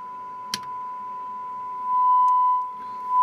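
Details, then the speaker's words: McIntosh MC225 amplifier after replacing bumblebee capacitors, biasing and cleaning: steady clean test tone, crackling gone, only handling clicks; clean sine wave output with no clipping. "nervous the crackling is gone so success on that I'm in control I'm really happy with how this piece of the the upgrade off turned out didn't seem to affect the input whatsoever a beautiful nice clean sine wave here no clipping whatsoever"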